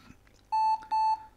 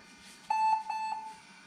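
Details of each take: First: 20-year-old IBM ThinkPad R40 type 2722 laptop at power-on: two short high-pitched beeps, a POST error traced to a failed hard disk (disk 0 fail); BIOS battery also dead. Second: 20-year-old IBM ThinkPad R40 type 2722 after hard disk and BIOS battery replacement: one clear high steady beep under a second long in a quiet room; normal power-on beep, laptop boots fine.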